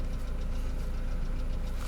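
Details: Mercedes Vito W638, M111 2.3L petrol; steady idle with rapid even low knock throughout; engine knocking at idle, cause not found; scan showed sensor-related faults (1493, 130, 135).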